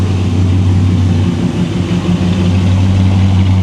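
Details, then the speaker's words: 1957 Chevrolet Bel Air V8, cold with electric choke still opening, heard at the tailpipe of true dual exhaust: deep, steady burble with even pulses and no misses or ticks; normal idle. "give that throttle a minute to open up man it's a good running car"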